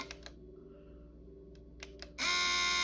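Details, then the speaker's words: Nintendo Wii sold as broken, disc drive on eject: a few light clicks, then a loud, harsh, steady high buzz as the mechanism strains without ejecting; owner guesses something is jammed inside, not confirmed. "trying its hardest all right turn it off my guess is something is jammed inside of there"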